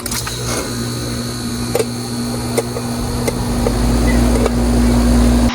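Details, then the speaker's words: Air conditioner outdoor unit after capacitor replacement, thermostat calling: contactor clack, then steady hum and fan rush as the condenser fan and compressor start normally; compressor draws about 7.3 A and the fan about 1.2 A. "Okay, our contactor has pulled in and our condenser fan is running. I can hear the compressor has also kicked in."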